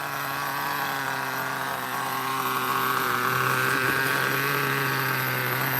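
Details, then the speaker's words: OS nitro engine in an RC car, after a run that was too rich: returns to a smooth, even high-pitched idle with no stumbling or surging; beautiful, normal idle. "Now, that's a beautiful idle, though."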